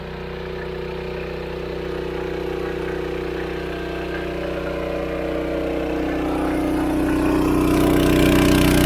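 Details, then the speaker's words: Engine-driven water pump at a dam, pumping about 225 m up to a holding tank, running after replacement and problem fixed: steady, even beat about four pulses a second, building smoothly as the pump takes load; healthy. "Finally. This is the sound I want to hear. Finally. Success."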